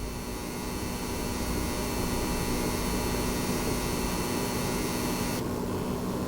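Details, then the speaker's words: PS5 Pro running a game, heard from about a foot away: a faint steady electrical buzz with a thin high whine over a quiet fan hiss; coil whine, louder in the pause menu and gone on the home screen. "you can probably hear that electric buzzing coil wine noise see a little bit of that coil wine noise but other than that hardly any fan noise whatsoever"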